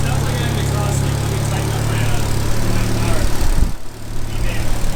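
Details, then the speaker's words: Project car at first start, with a makeshift intake for base tuning and a new oxygen sensor fitted. Uneven, lumpy idle that stumbles off throttle. Runs unhappily because base values aren't yet set in the ECU. "It's just off throttle, it's not very happy"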